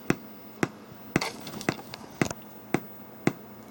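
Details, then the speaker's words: Galaxian arcade PCB powered by 5 V and 12 V jumper leads, coined up: sharp evenly spaced pops about two a second over a low hum from the speaker; quieter once play starts. "And we will coin up, and you can hear that popping noise. There's my speaker right there. And that is totally annoying, right?"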